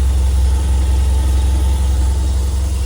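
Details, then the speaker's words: 1995 Toyota Celica GT4 import, first real run after a long time stood, fuel leak at tank connector fixed, no airbox fitted, cam belt not yet done: smooth, even low idle rumble, steady rhythm, no ticking or knocking; healthy idle. "Does sound nice. Considering how long it's been stood still, this is the first time I've really had it running, because the cam belt has never been done, but"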